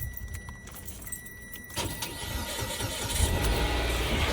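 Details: Engine jump-started with a compact battery jump pack: steady chime, short crank, then the engine catches and builds into a rising, even idle; starts fine.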